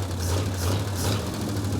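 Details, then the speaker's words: 1935 Ford coupe flathead V8, parked for decades, running straight pipe with no muffler and half the tailpipe missing: loud, deep, unmuffled rumble with a raw blatty edge, crisp throttle response; open exhaust. "this thing I crawled underneath to hook up the tailpipe cam no Muffler so this is what straight pipe sounds like when half the pipes missing"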